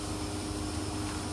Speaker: ini blower kita Hai mau bongkar karena suaranya agak beda-beda